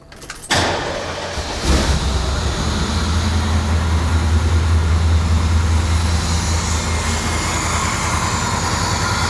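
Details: Engine in a truck, first start after adding a heater port to the intake manifold for a no-heat fix and correcting swapped fuel pressure sensor and TPS connectors. Brief crank, quick catch, then a steady, even idle that settles without stumbling.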